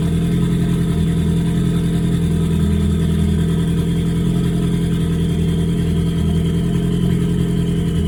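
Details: Ford Focus warming up at idle with a tuner connected: uneven, lumpy idle with an irregular stumble and a steady whistle. Misfire detected on cylinder three, count six, after recent spark plug and injector replacement; timing suspected, not confirmed.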